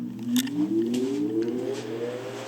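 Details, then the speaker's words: 1925 Emerson Jr 9-inch antique desk fan, shaded-pole motor with hollow-shaft circulating oil bearing: quiet motor hum rising smoothly in pitch as it spins up, no rattle or scrape; very smooth, quiet running. "can feel it all the way across the room so it's definitely doing its job it's a very smooth running motor shaded pole it's not a split phase with the streets and terrifical clutch or anything so it's very very quiet starting and stopping motor has a very cool startup sound which you probably heard"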